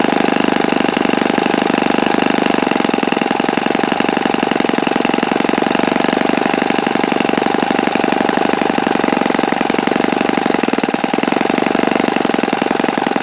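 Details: Repaired OS FS-48 Surpass four-stroke (repaired blown-out crankcase) on test stand, peak-RPM run on the given prop: steady high-pitched buzz at constant revs, smooth, no rattle or bearing grinding; mixture richened after knocking. Normal high-speed run.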